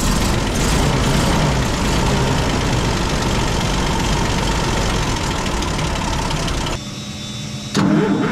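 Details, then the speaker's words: M8 Greyhound six-cylinder engine on a test rig after distributor and ignition overhaul, timing just set; starts and settles into an uneven, lumpy rough idle, mixture adjustment next being checked. "hey so the engine's not idling too well so maybe let's see if we can understand if it's a caused by you problem"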